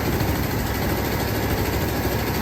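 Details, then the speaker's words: 1975 Lincoln Continental carbureted V8 on a temporary fuel supply, warming up after the cooling system was reassembled: deep, steady idle that runs healthier than before, though still somewhat rough; number 2 cylinder's firing, timing, cap, rotor and compression remain unchecked. "it's healthier than it was, I think."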